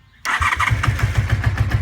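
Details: 1988 Honda Super Magna VF750 after a new battery. Quick steady cranking chuffs with sputters that never catch into an idle. Cranks but won't start; cause not confirmed.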